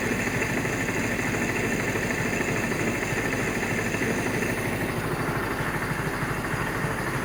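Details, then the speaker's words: 1947 Willys CJ-2A four-cylinder running for the first time in 30 years: fairly steady but slightly lumpy idle; runs pretty well, but ignition timing needs a small adjustment. "I mean it runs pretty good we're going to have to adjust the timing a little bit"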